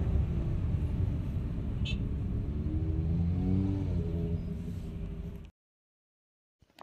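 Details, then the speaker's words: Great Wall Florid 1.5 VVT revved in place: whining tone climbs with engine speed then drops away; source not pinned down, gearbox low on oil suspected, not confirmed. "عندنا اليوم في الوليد السيد هذا راه يشتكي من الحس هذا يزيد كل ما طاكسي ديالي يزيد."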